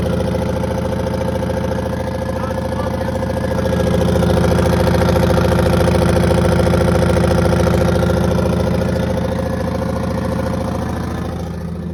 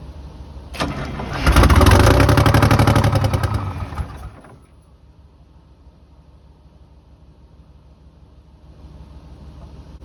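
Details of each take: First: 1982 Silver Eagle tour bus, Detroit 6V92 two-stroke diesel, parked 6-10 years; steady two-stroke drone at idle with a firm regular beat and no knocks or death rattles; normal idle, engine runs. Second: 1982 Silver Eagle tour bus, Detroit 6V92 diesel parked 6-10 years, cranked without ether: lights off first try into a heavy, steady clatter for a few seconds, then dies; owner unsure whether fuel shutoff valve cut it or it lost prime.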